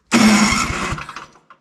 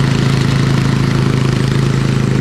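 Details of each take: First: Electric-start MTD Snowflite 826 snowblower (8 hp, 26-inch cut), older machine: short harsh whirring crank with a few uneven thumps, starter sounds rough but still turns the engine over and works. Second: Old MTD Snowflite 826 snowblower, 8 hp, 26-inch cut, carb good, choke off, blowing snow: steady, even speed with firm low drone, no misses or knocks; normal running, throws less far than newer ones.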